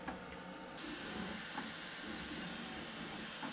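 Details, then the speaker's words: Flying Bear Ghost 6 3D printer, stock, during a print: sharp isolated knocks every second or two over quiet hum; sharp-edged brass fitting on the left shaving the filament, causing each knock. "The brass fitting there had a very sharp edge, and it was shaving the filament. And every time that happened, more or less, the filament gave a knock."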